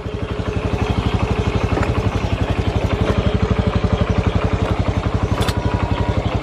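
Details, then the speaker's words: Honda Revo FI motorcycle after clutch shoe service, climbing a concrete-to-ground step: even, steady thumping with no slipping, flaring or rattling; pulls light and smooth without much throttle, runs healthy. "Tapi tarikannya di situ walah ringan sekali. Enggak ada. Alah, enggak perlu kita tarik gas tinggi-tinggi lah."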